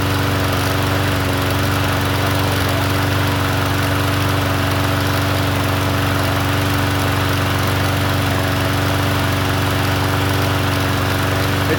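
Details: Troy-Bilt TB110 push mower, sold as non-running, after fresh fuel and cleaned gas tank: small single-cylinder engine humming at a steady, even speed with a buzzy drone, no surging or stumbling. Normal running.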